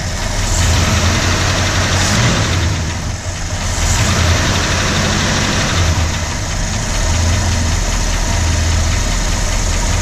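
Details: 1965 Ford Galaxie 352 FE V8, recently started, idling steadily: fast light tick about four per second over the rumble; source still being sought.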